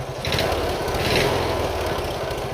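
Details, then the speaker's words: Single-cylinder Briggs & Stratton Intek mower tractor engine: small single thumping unevenly when blipped, with a knock only on throttle. Exhaust leak suspected; owner suspects running rich from an over-drilled carb jet or a flooding needle; not confirmed. "Definitely has a little bit of a knock to it. That's just an exhaust leak, but I don't think it is. Although it is only on throttle."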